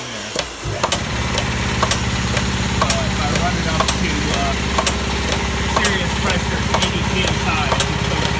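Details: Old Haskel gas booster after a shuttle valve rebuild, under load: steady hum with a bang then rapid taps repeating about twice a second, the shuttle moving so fast it bounces on one side and chatters.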